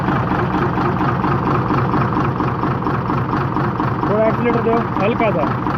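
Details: Hino J08C diesel with low pulling power and oil coming from the silencer, traced to cylinder number five: rough, uneven idle with a dull knock in the clatter; piston damage knock.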